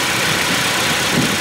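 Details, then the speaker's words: Simulated 2013 Toyota Tacoma (Assetto Corsa mod) just after an oil change: steady, even idle at about 1000 rpm with no knock or miss, oil pressure light off, no leaks; normal idle. "oil pressure warning light has extinguished everything sounds normal and that's good"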